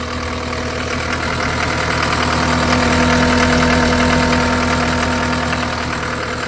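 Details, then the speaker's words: John Deere 331G loader after alternator replacement, after a night around 6°, warming up: steady even diesel idle with smooth low drone and faint hum, no knocks or misses; voltage rising from about 11 V before to 13.1–13.2 V now; normal idle. "sounds like it's running pretty good there looks like the voltage is going up"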